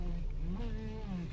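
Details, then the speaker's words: Van with groaning creak rising and falling in pitch each time the steering wheel turns, over low idle; cause found to be a dry lower steering shaft, fixed by applying lubricant or grease. "tengo este ruido oigo este ruido cada vez que no da vuelta al volante"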